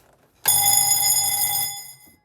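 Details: Warning bell rung before starting the rope tow engine: bright ring of about a second and a half then fading, normal signal that the tow motor is about to start.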